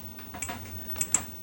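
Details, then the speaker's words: 25-inch K7000A arcade monitor chassis on the bench after repairs, at power-up: three sharp, faint, irregular ticks over a low hum while the image jumps; cause not identified, owner wonders if it is the flyback. "We got all kinds of noise going on. I've never heard that sound before."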